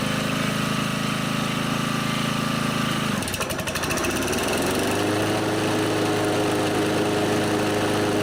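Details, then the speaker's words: Honda HR215 HM mower that surged at low and high speed, after its carburetor slow jet was unplugged, warming up: an even idle, then a clean rev-up to a steady high speed with no hunting; normal idle and run-up, surging fixed. "looks like I have the Idol set about right so I got lucky there seems like it's idling fine once it warms up I'll rip it up to see how it goes"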